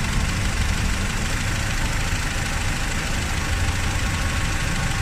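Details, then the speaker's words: Honda Civic petrol engine misfiring at idle with no check engine light; uneven, stumbling low beat that comes and goes as the ignition coil connector is wiggled, caused by a loose ignition coil socket, not coils, plugs, injectors or compression. "Oh 'yun lang o. Saglit lang yung problema natin. Ang problema lang nito is yung ignition coil socket."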